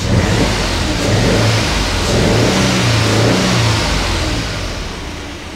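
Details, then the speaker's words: Citroen Aircross 1.2 82 PS three-cylinder petrol, fired straight up after earlier failing to start: smooth, even three-cylinder drone swelling and settling with throttle, no knocks or rattles; normal idle and revs. "mean it sounds okay it sounds like a three cylinder to sell with one of these engines"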